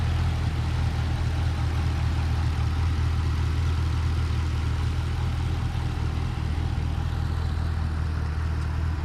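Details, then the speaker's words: 2012 Camaro SS LS3, about 160k miles, after replacing all lifters to cure an idle squeak, warmed up while burping coolant: deep, even idle rumble with no ticking or squeak; valvetrain quiet and healthy. "replaced all all the lifters just fired it up got up the temp burping the coolant system still haven't took it for a ride yet but it's night and day"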